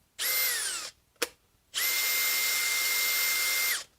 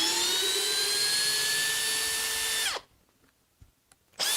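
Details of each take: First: Makita hammer drill, smelling like it's burning: two trigger pulls with a shrill, steady high whine that sags in pitch as it spins down; abnormal motor noise. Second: Makita cordless hammer drill (XPH07 vs XPH14 test, speed 1, drill mode) whose motor first sounded bad and smelled of burning: steady high whine under load with short trigger bursts, now sounding even and better; normal motor running.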